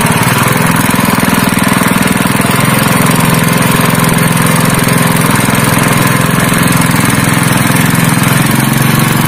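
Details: Honda GX160 5.5 hp single-cylinder engine, previously pulling as if it had no compression, runs after a valve clearance adjustment (IN 0.15 mm, EX 0.20 mm): it thumps at a fast, even beat with a steady pitch and no valve tapping, running normally.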